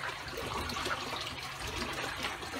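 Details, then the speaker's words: Tank Herbie-style overflow after upgrading Neptune FMM/FMK plumbing from 1.25" to 2" PVC: constant irregular gurgling and trickling as extra flow pushes water about 3/4 inch into both emergency drains, which need adjusting. "I hear the gurgling, so I'm going to have to adjust those."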